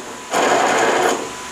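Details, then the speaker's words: Dixon Ram ZTR mower deck pulley, removed with deck off, spun freely: one short burst of dry, gritty grinding that fades out; the pulley bearing is worn rough. "This sounds pretty bad. Since we're going to run up to the lawnmower store and try to find one of these, if he has this pulley, we'll go ahead and get it."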